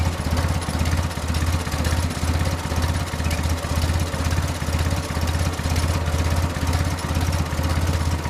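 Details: Willys Jeep after carburetor rebuild and reinstall with better fuel filters: low idle with a steady swell about twice a second, no knocking; engine runs, mixture may need adjusting.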